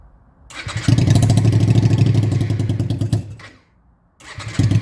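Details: Honda Shadow motorcycle under restoration, carb float previously stuck open leaking fuel, started at full throttle: loud uneven open-pipe bark runs ragged about three seconds, dies, then refires; engine stalls after starting, fuel mixture suspected, unconfirmed.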